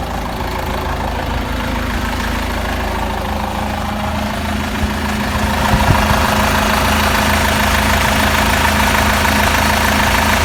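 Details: Peugeot Boxer 2.2 turbo diesel, about 426,000 km, cold start idle: steady regular knock about three per second over the clatter, growing louder as it settles; owner suspects a weak-point part, valve collets dislodging, unconfirmed.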